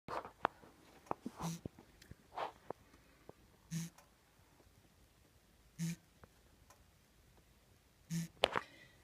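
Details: 1996 Toyota 4Runner just after engine shut-off: soft tick-and-hiss repeating about every two seconds; owner unsure whether from brake booster or transmission, cause unconfirmed.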